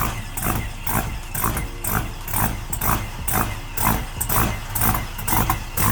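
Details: Shop-built engine on start-up, with O2 sensors not giving a reading. Deep, steady rumble with an even beat and no knocking or ticking; normal running.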